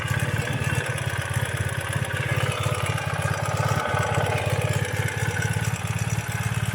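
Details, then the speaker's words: 2017 Ural cT sidecar motorcycle on first start after a Keihin Gen 2 EFI installation, possibly still with air in the fuel lines: deep, even, smooth idle with no knocks or misses, a normal idle. "yeah smoothing on out now sounding good"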